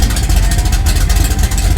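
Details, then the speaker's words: C-body Road Runner V8 revived after sitting, engine shoved forward by rear end: deep steady rumble pulling in second gear, no grinding or whining; transmission sounds healthy. "that's faster here is third wow it's not making hideous noises yeah there's fourth"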